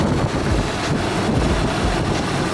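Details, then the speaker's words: Nissan Cefiro A31, long-sat drift car with a newly installed OEM fuel pump. Rough, uneven, lumpy idle with the engine shaking from a bad misfire. The owner suspects the old distributor cap and rotor, not confirmed. "there is a bad misfire happening and I don't know exactly what it could be I really am like I said it's starting to think it might be a bad distributor cap and rotor"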